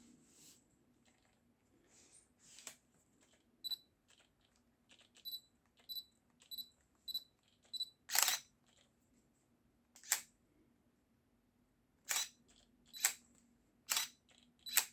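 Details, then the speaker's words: Old Sigma 17-50mm f/2.8 lens on an old Canon body for comparison: short sharp whirring buzzes with each focus attempt; autofocus noise comes from the lens itself, not the 7artisans adapter. "Okay, so just for comparison, we'll put the same lens on the old Canon that I was using, just so you can see that noise is actually from the lens, not from the adapter."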